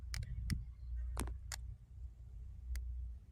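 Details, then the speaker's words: Downed live high-tension power line (speaker thinks 440 volts) lying across a property: irregular sharp snapping cracks over a low hum as it arcs through frogs touching it, which catch fire. "See, it's still arcing right. If you listen to it, it's arcing now. The two frogs arcing and catching a fire."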